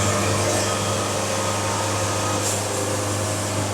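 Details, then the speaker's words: Bandsaw sawmill, same log, feed set faster by the hash mark: steady humming drone with firm, clear cutting tone, no surging or chatter; still sawing straight, normal cutting, though a different wave pattern then appears on the board. "All right, here we go. Getting a little more tone on that one."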